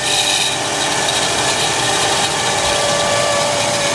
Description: Bad alternator bearings on the old alternator as well as some bass.